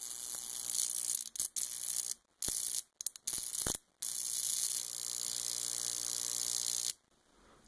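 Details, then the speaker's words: High-voltage power supply arcing alone, with no resistor or homemade jar capacitor attached: sharp hissing crackle of sparks in short bursts with brief silences between; clean, unhindered arc as a baseline. "before we begin i thought i'd show you what the arcs from this power supply which is what we're going to use to test this capacitor look like when it's unhindered"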